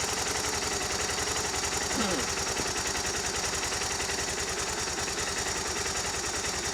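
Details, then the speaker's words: Suzuki DR650 single-cylinder motorcycle on stock exhaust, warming up before oil and filter change and exhaust swap: quick even thump about three to four pulses a second over hiss; normal idle. "Alright, we'll start her up. Starts easy."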